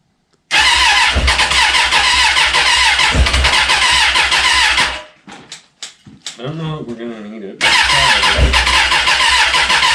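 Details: 2004 Suzuki Katana four-cylinder, sitting over a year, first run on a temporary fuel tank: crisp fast-firing revs, brief drop-out, then catches and runs strong and even; later oil leak at oil cooler fitting.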